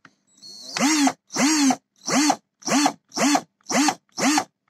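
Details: Black & Decker EPC12/EPC14 electric screwdriver motor: short repeated bursts swooping up and down in pitch with rough rasp, sparks and burnt smell; worn carbon brushes and commutator rings grinding, fixed with universal RS540-type brush holder.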